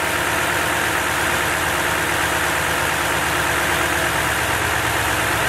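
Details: Truck idling during a Topdon ArtiBattery 101 charging test, rpm not raised to 2500: smooth, even idle with a steady hum and no knocks, misses or whine; engine healthy, and the tester reads charging normal, 13.49 V unloaded.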